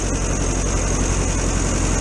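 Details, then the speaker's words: VW T2 camper van's air-cooled engine idling on a cold January day after about a month with the owner: steady, even low chug with no knocks, misses or surging; owner says it's running okay. "i ain't too bothered about that it's running okay in it just want to go camping now"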